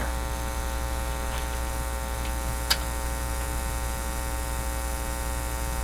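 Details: Philips PH202 vacuum tube console record player feeding a soundboard, phono shield not attached to plug and ground wire unconnected: loud steady low drone at mains pitch, no cartridge signal heard; cause unconfirmed, possibly cartridge shorting switch.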